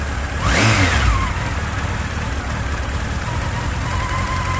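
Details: Honda X4 CB1300 motorcycle: brief blip, then idle with faint uneven tapping from the left side of the engine, not heard cold and starting after about 30 s. Owner suspects timing chain, valve clearances or oil pump chain; unconfirmed.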